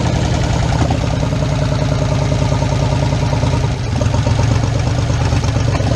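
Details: 1977 Chevrolet K20 4x4 V8, last driven 2001, first start in about 16 years on gravity-fed fuel: loud, lumpy run with an uneven, stumbling beat; a cylinder bank skipping, consistent with a clogged carburetor jet.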